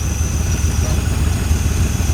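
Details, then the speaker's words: 1981 Ford Mustang 5.0 V8 revived after sitting, with a different fuel pump fitted and good oil pressure: deep, steady burble with an even lope and no knocks or ticks; a healthy idle. "sounds healthy I'm happy it's running"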